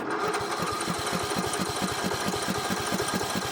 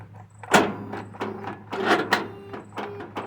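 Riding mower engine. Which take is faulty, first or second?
second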